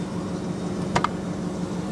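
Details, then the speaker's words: 2006 Perodua Kancil, about 20 years old: steady low idle hum broken by a sharp double popping sound, like a misfiring cylinder; cause suspected, not confirmed. "dia ada bunyi meletup guys dengar eh"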